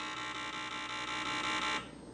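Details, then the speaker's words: 1978 Milton Bradley Electronic Simon with a TMS1000 microcontroller, long non-working, on a 9V battery. A steady high buzzing tone pulses quickly for under two seconds, then cuts out; this happened while touching the side of a chip, not normal Simon behaviour. "okay I don't know what any of that means it kind of happened as I touched the side of this chip okay yeah that is oh this is definitely not behaving the way I would expect a Simon came to perform uh so that's very strange"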